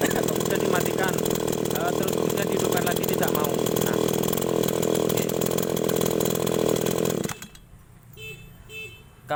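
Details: Small two-stroke agricultural sprayer engine, restarted: holds a steady, crisp buzzing run for several seconds before shutting off; starts and runs normally.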